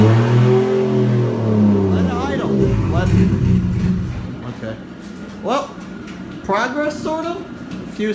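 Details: 1JZ-swapped Nissan S13 that went through a blizzard in transport, cold-weather first startup: catches and revs for a few seconds, then cuts out abruptly; it stalls, cause unknown, and the owner plans to rewire the fuel pump relay and fuses.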